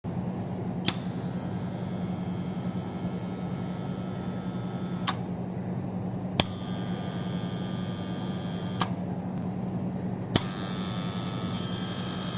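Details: Motor starter contactor: steady low electrical hum with a sharp click every few seconds, humming and chattering; cause suspected, not confirmed; contactor humming.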